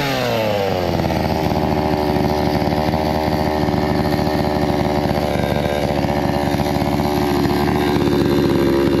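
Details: Hyundai 650 chainsaw after repair of it starting then stalling: revs up quickly, then holds a smooth, even high-pitched drone with no stumbling or dying; runs healthy.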